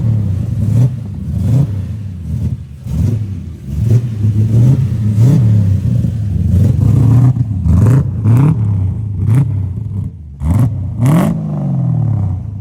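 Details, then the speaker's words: LS V8-swapped Lexus IS300 on its first drive, still untuned. The engine revs in short, uneven bursts that stumble and drop off instead of pulling cleanly, hesitating under throttle. The owner blames the tune being off, not yet confirmed. "It's kind of hard to get into it because the tune's all off and the car kind of doesn't know what it's doing right now."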